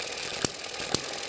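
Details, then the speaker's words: Eachine ET7 model hit-and-miss engine with governor springs stretched, below 1200 rpm: crisp single firing bangs about every half second, coasting quietly between; proper slow hit-and-miss running. "that the engine's running slower we're below 1200 rpm so that slowed this down quite a bit and it sounds a lot more like a hit and miss engine"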